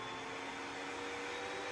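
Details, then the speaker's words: Asus PG27UQ monitor FPGA cooling fan 1 at high speed: even, loud rushing whir with a steady high whine, no ticking or wobble; healthy fan, and likely the noise it makes on the internal monitor board. "And I think this is what you hear if you if you connect the fans to the monitor board, internal board."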